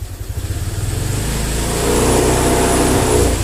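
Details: Honda Vario 125 injection (Vario Techno), idles normally but revs sag and stumble when throttle is cracked open, then pick up late; hesitation traced to an altered throttle spring making the throttle too light.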